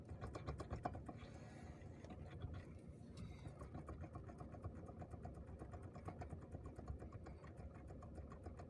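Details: 2007 Renault Megane 2, 1.6: quiet, irregular light knocking about four a second over faint engine hum, from the steering column, not the steering shaft with its U-joints.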